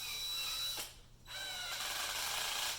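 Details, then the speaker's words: DeWalt drill at torque setting 1: fast light ratcheting clicks as chuck stalls under light finger pressure, no longer drilling; torque clutch slipping at lowest setting, as designed. "you can hear it clicking it's actually just kind of juggling back and forth but it's not actually drilling anymore"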